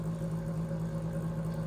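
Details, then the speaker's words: Stiff floor fan before cleaning, freed slightly by spinning by hand: steady low electrical hum with a faint rough undertone and no clean spin-up; motor sounds dragging and needs a lot of work. "this is why this one needs a lot of work"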